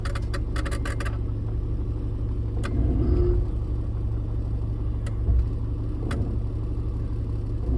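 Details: 1995 Jeep XJ Cherokee at idle: sharp, rapid intermittent clicking from behind the dash, sounding almost like electrical arcing, in a burst followed by stray single clicks. A bad relay rapidly switching.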